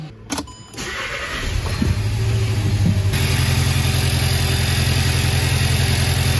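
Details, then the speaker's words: 2014 VW Jetta 1.8 L running rough and stalling, oil overfilled, with a tailpipe pressure transducer: uneven, stumbling idle that keeps missing beats; scope shows cylinder 2 misfiring. "Yeah, it's misfiring really bad."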